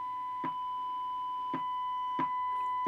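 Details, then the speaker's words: Siemens Super G7 radio, FM IF alignment check with a 10.7 MHz test signal and a 1 kHz tone through the speaker, clicks as the generator is swept. Judged by ear, the tone peaks near 10.740 MHz, so the FM IF stage is slightly misaligned and needs realigning. "I think it's actually a little bit off. It seems to be best at at uh at 10740. If I go the other way, goes down. So, I do have a little bit of an alignment to do."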